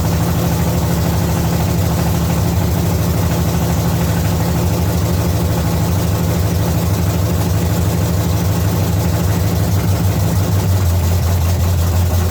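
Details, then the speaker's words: 1970 Chevy C10 small-block V8 being set up with new parts: steady but slightly lumpy idle that sags lower toward the end; idle speed too low, and the owner wants more idle and a little less timing and suspects the transmission was in gear. "foreign needs a little more idle hopefully bring a little less timing a little more idle I think it'll sit there and run"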